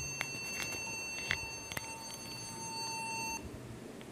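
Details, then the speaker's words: Small laptop at power-on: blue light on, one unbroken high beep, won't boot; fault traced to a failed keyboard. "तो उसने problem क्या है इसकी वीर ही मैं समझ गया कि प्रॉब्लम्स के कीबोर्ड वह उसका कीबोर्ड खराब हो चुका है"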